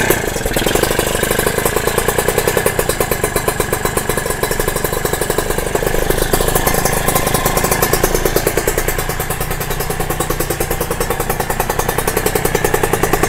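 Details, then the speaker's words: Kawasaki RR (ZX150) two-stroke after a new cylinder block, started with the power valve not fitted and held closed, air screw not yet adjusted: crackles at a fast, steady idle never settling low; idle too high, cause unknown. "Tapi tak tahu kenapa timing dia jadi tinggi macam gini Angin pun aku tak ada adjust lagi."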